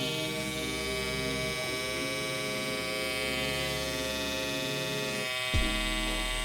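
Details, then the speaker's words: Andis cordless Outliner trimmer after one year, top modified: steady high electric buzz that drops out briefly near the end then catches again; motor power cuts off and on repeatedly within about a minute of running, a broken-motor fault. "so in about a minute maybe even less the power is going to cut off"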